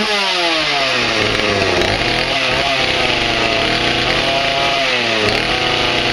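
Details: Stihl MS180 two-stroke chainsaw after teardown and reassembly: it buzzes high and clean, revving up and settling back evenly with no stumbling; running normally, with chain oil now flowing.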